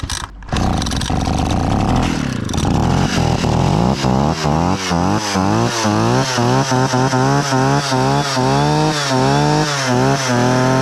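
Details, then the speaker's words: Husqvarna 65 chainsaw, about 60 years old, after partial repair (carburetor, fuel line, pull starter): crisp two-stroke buzz rising and falling cleanly through repeated throttle blips, no misfires or hesitation. Starts easily and runs well, though a brittle aged part makes it unfit for use. "It starts so easy and runs so nice - I feel really bad about this one"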